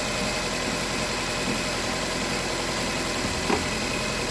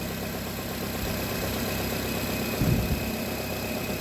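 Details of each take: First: Nissan Cube engine idling evenly and steadily with no stumble or skipped beats after an ignition coil was replaced; earlier P0300 random misfire, codes about to be cleared. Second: Nissan Cube fresh from auction, P0300 random misfire code with cylinder 3 noted: low uneven idle that swells mid-clip then settles; surging idle, cause not pinned down.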